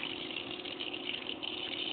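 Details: Pool pump restarted after filter change; steady even hiss and hum, no surging, gurgling or rattle, strong flow; pump running normally.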